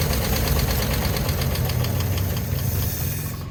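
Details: 1950 Chevrolet Bel Air barn find, long sitting, cranks steadily about four beats a second without firing; fuel pump suspected dry and needing priming.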